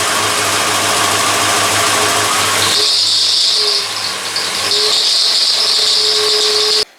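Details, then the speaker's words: Rebuilt MK4 Golf engine, first run after rebuild: loud high piercing squeal rises with revs; belt slipping suspected, owner points to cockeyed AC delete pulley and plans to swap power steering pump; idle otherwise runs decent. "well, anyways, you can tell it runs pretty decent, except for when you rev it up a little bit, it squeaks like crazy."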